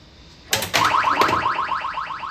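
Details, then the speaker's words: Bally Silver Ball pinball during teardown/restoration, credit added: quick rising electronic chirps repeating evenly, clean and steady; sound board playing background music properly. "Got to put a credit in it with my knife. Okay. Now you'll hear the background music if you haven't seen my short video."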